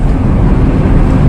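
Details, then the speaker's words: 2002 Toyota Kijang LGX 2.0 EFI while driving, recorded in the cabin: deep steady engine roar with no knocks or ticks; the owner calls poor engine sound damping a weakness, but the engine is running healthy. "kekurangan namanya pertama mesin Harusnya bisa diredam dengan sempurna tapi lama-lama saya suka lama-lama Saya jatuh cinta dengan raungan mesin nya sih"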